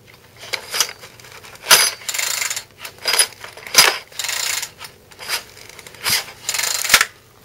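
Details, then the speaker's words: Troy-Bilt four-stroke weed eater engine turned over by hand gives sharp metallic clunks in uneven bursts; owner guesses the clutch springs let loose or it over-revved and blew up; clutch failed, broken clutch spring suspected. "goes clunk clunk clunk let me try to turn it over my guess is the clutch a Springs let loose or it's just blown up like the right rubbed it up too high"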